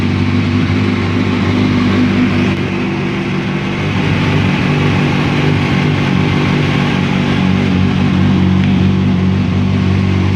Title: Engine Noise Kawasaki Ninja ZX6R 2005